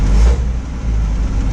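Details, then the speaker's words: Old truck engine with Pertronix ignition, a CarbKing single-barrel carb and an oil bath air cleaner, given a little gas: a deep, even note swells briefly with a clean low rumble. The earlier knock is gone, though it was heard again afterwards. "Better. Yeah, that knock is gone."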